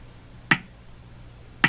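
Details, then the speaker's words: Hammarlund HQ-180 receiver with signal generator at 4 MHz, sharply tuned on 2–4 MHz band; sharp isolated pops roughly once a second over quiet hiss, pace increasing slightly; motorboating, occurs on all bands, cause not yet found. "we're at four very sharp tuning you see the pace of the pop increased there slightly"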